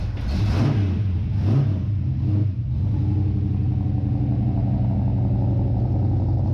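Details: Craig's Mustang, cold start in the shop: a deep, even rumble settling from the start flare into a steady cold idle, with no knocks or ticks. The engine runs healthy.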